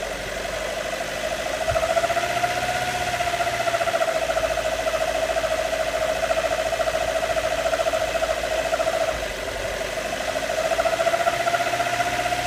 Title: Mito weird engine noise, any ideas?